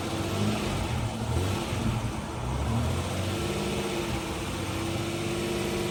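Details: Jeep Cherokee idling after hidden shorting wiring was repaired (computer tested good); smooth, even low idle with no skips or stumbles, the earlier bad misfire from a malfunctioning fuel injector gone, residual white smoke burning off.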